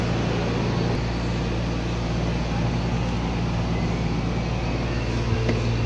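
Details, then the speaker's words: Motorcycle engine after rebuild, valve clearance set to 0.05 intake and 0.06 exhaust: low, even idle with a steady thump and no sharp valve ticking. Much quieter; timing and idle gears not replaced. "Okay mga boss amo yan medyo tahimik na yung andar ng ating ginawang motor"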